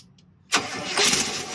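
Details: Free RV motorhome, first start attempt in 15 years: dead quiet, then a sudden catch and a short rough burst of running as the long-stored engine fires briefly.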